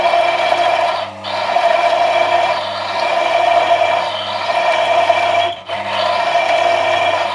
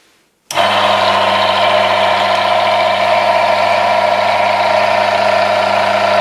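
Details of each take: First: We have fluid friction now, but as soon as I increase the pressure there is friction, you can hear it in the background noise. As soon as I press further, there is high wear, too much friction and ultimately cold welding. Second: Automatic transmission oil additive test rig with worn, scored surfaces and metal chips in used oil, after adding ATF Power Mix: steady even hum, fixed tone, no grinding or scraping; immediate noise reduction even under increased pressure.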